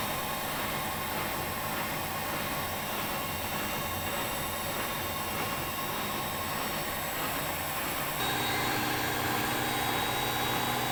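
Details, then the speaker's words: Old heavy Siemens German washing machine with suspended drum and concrete counterweights, spinning at speed: steady even high-speed rushing hum, slight pitch shift near end, no banging or thumping; machine stable; normal spin. "the drums are also suspended that's why you can see the drum schedule but the machine is stable this is a very very strong washing machine"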